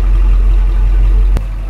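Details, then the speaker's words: 1964 Ford Galaxie 500 XL, 390 V8, four-speed, after the dried-up carburetor was fixed and the fuel in the tank replaced: deep, even V8 burble, no misfire, stumble or knock, running the way it should; normal idle. "and now this is the way it should be running and you know what it's got a great sound to it"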